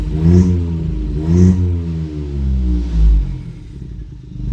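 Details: Ford EcoBoost after cylinder head replacement and timing work, following an earlier hard start with no crankshaft correlation traced to mixed-up connector pins: the engine catches cleanly and rises and falls through smooth blips with no misses or clatter, a normal start and rev.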